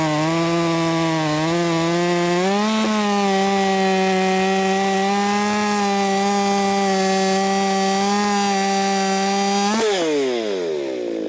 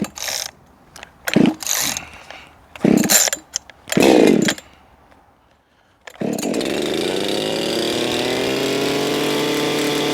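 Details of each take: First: Ported Echo 4910 chainsaw tuned to 14,800 rpm, cutting wood: about 9,700 rpm when dogged in and 11,500–12,000 rpm self-feeding. High, steady howl that climbs as the chain bites and holds through the cut; healthy under load. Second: Echo 4910 chainsaw, warmed up after long storage, tuning at wide-open throttle toward 13,500 RPM: screams to a thin, still-climbing ~15,000 RPM pitch with no burble, set way too lean.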